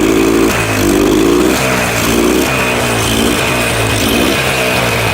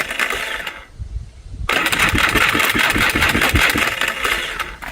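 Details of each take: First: 4-wheeler bought as a parts machine, after new starter fitted and throttle corrected, blue smoke showing oil reaching it: engine catches, blips up, then settles into a steady, even idle with no knocks or misses; running normally. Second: Salvaged four-wheeler cranking: rapid uneven metallic chatter about four a second with a sharp rattle on top; later found flywheel not fully seated so gears missed, owner suspects Bendix starter drive skipping.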